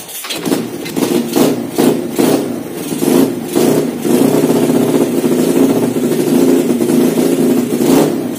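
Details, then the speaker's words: Honda Win motorcycle with Vega engine, just fitted with a PE26 KW carburetor and no tuning, at night: starts, takes quick throttle blips that rise and fall cleanly, then holds a steady idle with no misfires. Runs well. "di punggung oke itulah videonya dan kita tadi review sekaligus langsung pasang dan tanpa menyeting kartunya sudah enak"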